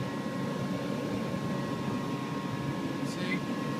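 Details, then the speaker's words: House furnace that was flooded a year ago and had its circuit board replaced, which only lights after being hit on the side; after a hard hit the burner lights with a steady even roar and faint hum, running normally. "there it is not sure why I wish it didn't always do that fire is blazing working fine now"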